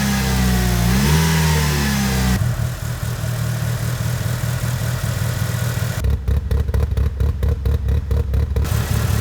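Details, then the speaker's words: Mitsubishi Evo (Tommi Mäkinen) after freeing a jammed number 3 injector and cleaning all injectors: the engine catches, holds a steady even idle and takes clean throttle blips with no misfire; now starts better and idles smoothly despite old fuel. "So that turned out really well. The car now starts better and it idles smoothly even though the fuel is old."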